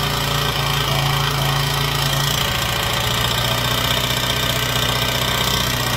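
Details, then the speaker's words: Honda XR80 single after a used cam, head and gaskets were fitted, running while the valve adjustment is fine-tuned: a light, uneven tapping at about two to three per second over the idle. It is loose valve lash slapping. "now why it's running we can fine tune this adjustment now get that little slapping noise out of there"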